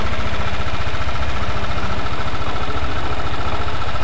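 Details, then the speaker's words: Yamaha NMAX scooter after valve clearance adjustment fixed the ticking: steady low idle with a loose, uneven clatter on the firing beat and no valve tick; clatter from a slack CVT V-belt caused by worn roller housing and roller fan. "Tapi PR yang kedua ini tinggal suara yang geladak ya, geladak. Nah, ini suaranya entah dari stang sekernya atau dari si bagian kirian atau bagian CVT-nya saja ya rekan-rekan ya."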